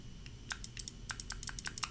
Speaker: so I don't know if you guys can hear this that is the relay going off when I hit this button